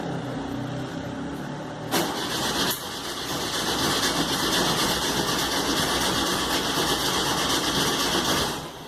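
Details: Rebuilt air-cooled VW Fusca (Beetle) engine, carburettor, plugs, leads, belt adjusted, first start; cranks, catches after about two seconds, runs loud and slightly uneven, roaring strong; starting to smoke, not yet tuned.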